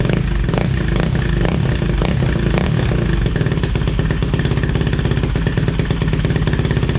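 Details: 2007 Yamaha YFZ450 quad on Rotella oil, just got running that night, owner suspects the stator could be bad: single-cylinder blips then a crisp regular idle thump with no knocks or clatter; normal running.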